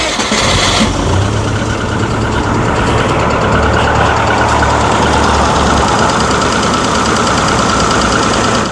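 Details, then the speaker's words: Rover engine after an unexpected no-start, started 10 minutes later: loud, uneven running with irregular lumpy beats; rough running, owner suspects cam belt, tensioner, holed piston or burnt valve. "10 minutes later and I have a result results well I've got it going but it wasn't uh sounding very happy then huh what a moment that"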